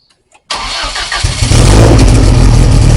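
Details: Lotus Esprit with freshly rebuilt engine, stone cold, running off just a downpipe with no silencer: silence, then starter catches and it settles into a loud, steady, slightly high cold idle, no misses or knocks; healthy.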